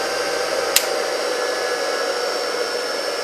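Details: Rebuilt single-phase 2 HP (2CV) high-voltage motor running unloaded on the bench, just before being switched off: even, steady whir, no grinding or rumble, one brief tick; running smoothly.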